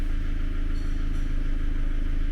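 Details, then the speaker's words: Ford Focus 2 engine just started, before valve adjustment, measured consumption 1.1: a loud steady idle with a fast, even ticking clatter. The valves knock hard from excessive clearance. "Вот так громко работает двигатель. Клапаны сильно стучат."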